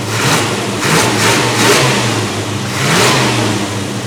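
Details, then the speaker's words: 1957 Chevrolet Bel Air V8, former trailer queen back on the road: smooth, even idle climbing cleanly through quick throttle blips and settling back without misses; normal idle and rev. "That sounds good."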